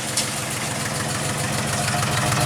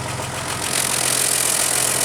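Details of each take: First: 2000 Jeep 4.0 inline-six, no check engine light: rough lumpy exhaust beat at idle, sounds like one or two cylinders missing, worse in gear; misfire at idle, coil pack suspected, spark plug center electrode found burned down. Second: 2000 Jeep Grand Cherokee Laredo 4.0 L straight-six, exhaust heard at tailpipe after replacing a faulty ignition coil: steady even exhaust with hissy rush, no pops or skips; now running on all six cylinders, normal idle.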